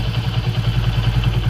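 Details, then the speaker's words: Vikrant V15 motorcycle after repair for a bad engine noise: steady even idle around ten firing pulses a second, no clatter or misses; noise gone. "कोई भी आवाज़ नहीं है भाई के अंदर"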